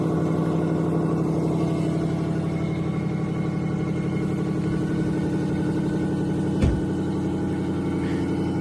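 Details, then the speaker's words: 1994 Lexus LS400, 1UZ-FE V8, 172,000 miles, before repair: idling with a raspy ticking puff over a steady low rumble and one brief thump. Terrible exhaust leak, later fixed, with two mufflers deleted and the other two replaced by Flowmaster Super 10s. "it runs pretty good but it's got a terrible exhaust leak and that's going to be the focus of today's video"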